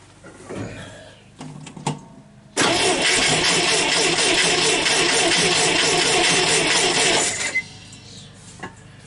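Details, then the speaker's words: Scout 80 engine with flooding issue; rebuilt original fuel pump seems over-pressurized, throttle not hooked up. It cranks, catches and runs roughly a few seconds, then dies; sometimes it likes choke, sometimes not. "sometimes it likes choke and other times it doesn't"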